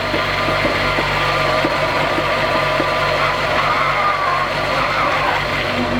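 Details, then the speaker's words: VW Mk3 VR6 on its first drive after a jump start, idling smooth: engine runs steadily while a faint wavering high whine and scraping come in as the gear goes in hard; owner suspects the clutch needs more bleeding, feels loose. "No? That's a weird sound. That's like yelling."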